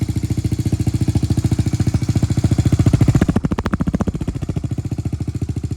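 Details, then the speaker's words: Kawasaki KLX110L with TB big bore kit and aftermarket cam, cam gear timing corrected from 3 to 9 o'clock: even single-cylinder thump at idle, and a quick blip picks up cleanly and settles back smoothly; crisp, healthy throttle response. "Sounds good. She's really crisp on the throttle."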